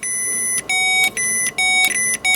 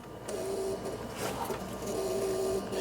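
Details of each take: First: 39-year-old Ford F150, crank no start: high, thin electric whine cutting in and out in short bursts as power is jumpered directly to the fuel pump pin; pump runs when fed directly. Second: 39-year-old Ford F-150 crank-no-start: thin mid-pitched electrical buzz under the hood while back-probing injector wiring; injectors have power but no control signal as the noid light stays off; source not yet found.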